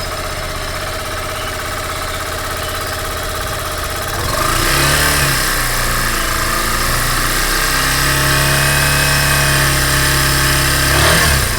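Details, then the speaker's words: Yamaha Fazer 150, new first motorcycle, before first service, running on ethanol (owner unsure if fuel changed the sound): small single idles with busy mechanical clatter, then revs up and down; noise follows engine speed, owner unsure if normal. "tem um barulho meio estranho mas eu vou funcionar ela aqui para vocês poderem me dizer se isso pode ser normal ou não"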